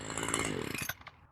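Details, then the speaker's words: Homelite two-stroke string trimmer after carburetor replacement, adjusting the high-speed screw: crisp high scream at full throttle, clean without bogging, before cutting off; properly tuned, normal running. "So, now we're going to rev it up and then turn the high screw, which is one farther from the engine. There you go. And that sounds pretty good."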